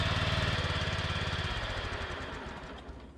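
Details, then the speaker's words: Revived riding mower started with ether and choke: engine chugs with fast uneven beat and a harsh high scream from underneath that fades as it slows; deck/drive suspected, cause unconfirmed. "Well, I don't know if you can hear it there, but something down underneath is a little louder than it ought to be, just screaming."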